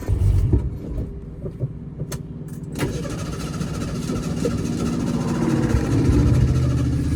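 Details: 1976 Ford Pinto after fuel pump was rigged with wiring run over the hood, pump not bad: a few clicks and bumps, then engine catches into a steady low hum that gradually builds; running fine.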